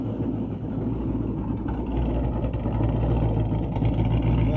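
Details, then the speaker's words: 2012 Ford Mustang GT Coyote V8, 192,000 miles: uneven light bottom-end knocking about three a second; fades after a while, returns when warm; hesitates, loses power, has stalled at 40 mph; lifter suspected, cause unknown; engine knock. "It seems to go away after a while, but then it seems to come back after the engine heats up. And when I drive it, it hesitates, it loses power, and it just shuts off on me."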